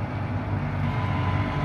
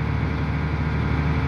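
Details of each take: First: Volvo EC480D excavator diesel: starts fine but after 10–20 seconds of operating, rpm drops to idle; steady low rumble at idle with no rise while the boom lifts, engine not responding to hydraulic load. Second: Volvo EC480D excavator with RPM dropping to idle during operation, machine unlocked but not operated: heavy diesel sits at a low, steady, even rumble with no load; normal automatic idle-down.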